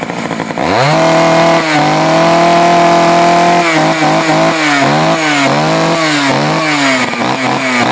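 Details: Poulan 4200 chainsaw, warmed up after a cold start, reported running a little lean: steady high two-stroke scream, then throttle blips, slightly sharp tone while the bottom low-speed screw is adjusted. Lean low-speed mixture suspected.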